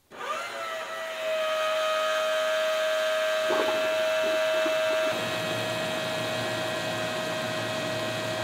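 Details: Quench-tank cooling rig (radiator and fan salvaged from a Chrysler motor) test run, no load, water around 81–83°F: steady fan whir with constant mid-pitch pump whine, no knocks or rattles; fan and pump running smoothly.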